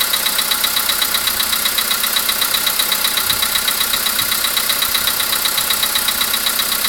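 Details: VW Polo Sedan with CFNA engine: sharp, metallic tapping at about two to three beats a second, very even over a steady idle; unexplained engine knock.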